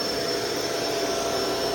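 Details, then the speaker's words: Shark Rotator DuoClean Powered Lift-Away on carpet: steady airy motor roar with hardly any beater thrash; weak brush roll agitation, which the owner assumes is due to the soft roller. "you can hear how little agitation that has. And I assume that's because of the uh soft roller."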